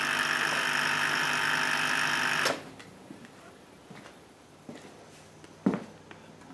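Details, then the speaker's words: 2000 Ford 7.3 Powerstroke diesel after injector O-ring and turbo replacement for massive oil consumption: even, fast starter whir for about two seconds with no firing, cranking with the glow plugs out to clear oil and fuel from the cylinders. "but for right now it's on there the oil passages are closed up so we can go ahead and crank this over and evacuate any oil or fuel that's in these cylinders before we put the globe plugs in"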